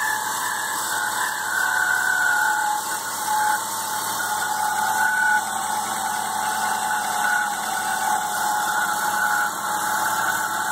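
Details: BMW E36 M3 running engine: steady high whine climbing with revs; persisted after alternator replacement, gone after replacing the main tensioner and pulley; the pulley spun rough by hand, so the pulley is blamed.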